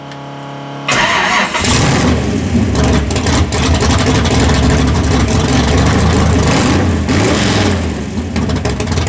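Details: Skull Garage gasser. Starter turns briefly, the engine catches at once and revs strongly with a crisp, even exhaust beat; a healthy start.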